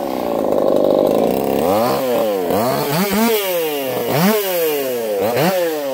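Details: Echo CS4910 chainsaw with experimental taper-top piston/crank swap, ported for open crank, running a little warm, compression about 180 psi cold, 170 warm; screaming two-stroke pulls down smoothly into each cut and snaps back to high revs, clean and strong.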